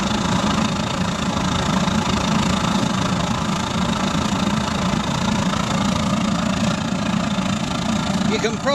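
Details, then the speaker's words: Waste-oil burner fitted in a pot belly stove, gravity fed with a small blower for air, at full output after throttle-up: steady, even roar with a low rumble, no sputter or pulsing; burning clean, normal operation. "bloody beautiful already burning nice and clean I think she's ready for a bit of a throttle up [Applause] just got to love that sound"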